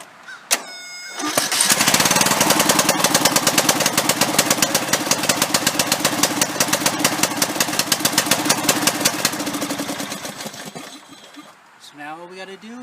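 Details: Bolens riding lawn mower that wouldn't start, after replacing the bad starter solenoid: brief crank, then catches and runs with an even, steady firing beat before winding down; starts and runs healthy after repair.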